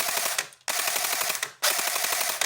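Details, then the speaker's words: Airsoft MG42 AEG on a 7.4 V battery, magazine disconnected, before repair: three rapid rattling bursts of about a second as the gearbox cycles freely but no nozzle moves to load a BB, caused by a snapped tappet plate spring. "so although the gearbox sounds like it's turning and doing something, there's nothing there to load the BB. I think there's probably something up with the tap it plate or something like that uh that's causing it to be a problem."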